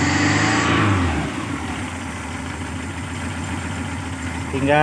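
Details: Engine after setting and replacing contact points (platina), timing about 8 degrees before TDC, air filter not yet refitted: brief rev then steady even idle, no misfire or stumble; runs smoothly and sounds healthy.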